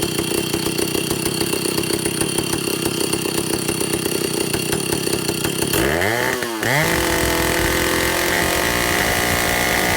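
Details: Vintage Stihl chainsaw, second test run after air leaks fixed, initial carb settings high 3/4–1 turn, low 7/8–1 turn, idle target 1,800 RPM, top no more than 10,000. Steady buzz, a midway blip rises and falls without climbing far; won't rev out fully, cause suspected, not confirmed.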